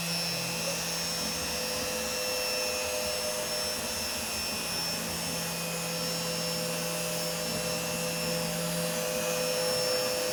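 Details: CNC router running Mach3 after a 3-week noise problem was solved with an opto-isolated breakout board: smooth steady hum with constant tones, no irregular noises or stutters; normal running.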